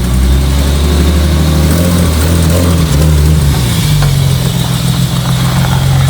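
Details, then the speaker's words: BMW E30 starting with great difficulty after an exhaust line install. It catches and runs unevenly, the note wandering and stumbling; not running well; hard starting and rough running. "La E30 a galéré vraiment de fou à démarrer, mais à démarrer, on est vraiment pas au top du top."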